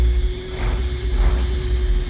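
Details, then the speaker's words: 1985 Thomas school bus, Navistar International 551ci diesel, 175,000 miles, idling while brake air pressure builds: a steady mid-pitched buzz drones over the deep diesel rumble, an alarm for an open door or emergency window. "that buzzing is because one of these doors are open or one of the emergency windows are open it it goes off I wouldn't have been able to drive 70 Mi with that noise for sure"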